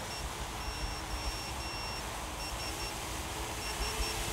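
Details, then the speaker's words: 7-inch AOS 7 quadcopter on INAV 4.0 during forced failsafe test with transmitter switched off: high, short repeated beeper bursts over steady motor hum overhead, failsafe responding after a second or two. "so that's the transmitter off i can hear it beeping up there oh pleased with that"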